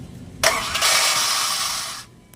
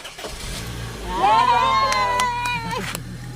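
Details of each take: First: Honda VTEC starter: free high-pitched whir under two seconds without engine turning; bendix drive engages flywheel then lets go instead of cranking, noisy; bendix drive needs replacing. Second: Honda VTEC whose starter bendix drive slipped off the flywheel instead of cranking, after starter repair: starter rises to smooth steady whine and engine turns over without grinding or slipping; normal starter cranking after bendix fix.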